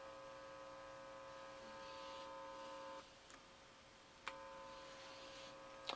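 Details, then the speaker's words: Harley Benton TE-80 single-coil guitar after copper-tape shielding of the control cavity and jack plate: steady low electrical buzz cutting out and returning with small clicks; remaining hum likely needs different pickups. Electrical hum. "so obviously I guess if I want it much quieter than that I'm going to have to look at some different pickups"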